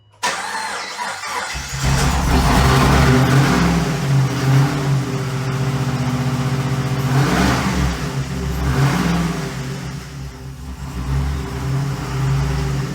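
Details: 6.0 LS V8 from a 2008 Pontiac G8, swapped into a 1950 Chevy chassis with race parts and a big lumpy cam, not yet tuned: catches, then idles loud and lumpy with an uneven loping beat and surging revs, never settling; the cam and missing tune are blamed.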